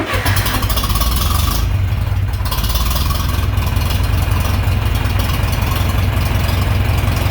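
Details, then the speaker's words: John Deere 3020 LP, repaired LP system, new head, reassembled: warm start catches quickly, settles into a steady, even low idle with no misses or knocks; healthy, ready for the road. "I'd say I did it [Music] it's ready to go down the road"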